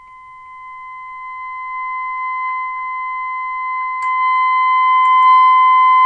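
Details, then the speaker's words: 1932 Philco Junior 80C regenerative receiver, trimmer number three (rear of tuning condenser) adjusted with a metal screwdriver: steady test tone near 1 kHz grows louder toward its peak: RF trimmer alignment tone peaking. "now I'm using a metal screw driver because I haven't got anything of wood or plastic that will turn it so we'll just have to compensate for that and we should get four max"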